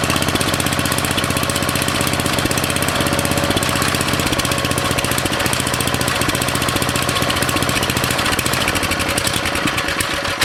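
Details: Briggs & Stratton 13.5 cast-iron-sleeve riding mower engine on bench, rerun with air filter back on after suspected oil in cylinder from engine tilted on its side; fast steady unbroken single-cylinder beat holding speed, smoke burning off; good running.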